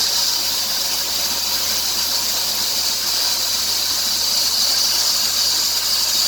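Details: 2003 Dodge Grand Caravan 3.3L, 372,528 miles: high steady hissing squeal and chirp building as revs approach 2000 rpm; likely worn serpentine belt slipping, suspected after replacing idler pulley, tensioner pulley and power steering pump.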